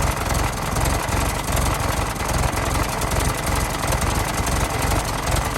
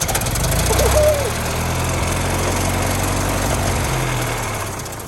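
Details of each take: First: 1916 Federal Motors truck, 107-year-old four-cylinder that was seized and sat 50+ years, bottle-fed fuel, rusty radiator being filled with water; low, busy idle with steady clatter, no big stumbles or knocks, runs smoothly: normal idle. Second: 1916 Federal Motors truck small four-cylinder engine, first start after 50-60 years unstuck, primed with carburetor filled: catches and races to a loud uncontrolled high rev before slowly dropping; overspeed runaway, owner says throttle needs dialing back.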